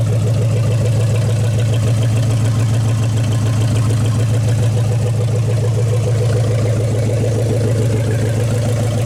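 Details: 1956 Studebaker Golden Hawk V8 at fast idle on first start in 50 years, with a mechanical fuel pump: deep, even, steady rumble with no misses or knocks. Carburetor and fuel pump working; runs good, needs only some fine tuning.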